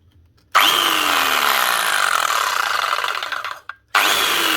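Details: Arbortech Allsaw mortar saw that stopped cutting, after a dropped drive belt rubbing the housing (burning smell, heat) was reset: spins up to a clean, steady high whine with no scraping, coasts down, restarts smoothly; runs normally.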